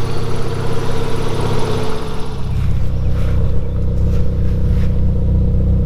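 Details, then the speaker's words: Toyota 3SGE on standard cams before Kelford 262° cam upgrade: smooth even idle around 800 rpm, steady low exhaust pulse, no lope or misfire; healthy stock idle. "all right that's the standard Odle and it's sitting it around 800 RPM"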